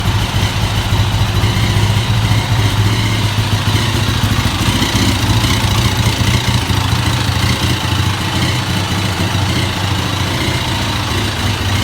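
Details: KTM EXC engine noise: loud, uneven rattling clatter over a throbbing single-cylinder idle with some blips; the owner asks what could be defective, cause unknown.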